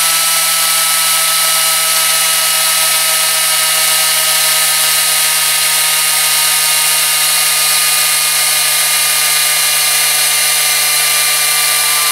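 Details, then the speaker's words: Homemade Tesla turbine on compressed air from 10 gallons, pressure falling from 30 to 25 psi: steady high whine with a thin air hiss, even pitch and no rattles or wobble; still making good torque at low pressure. "25 psi i say well done guys sounds like it's running really really well sounds like even down here at very low pressure because it's still creating quite a bit of torque"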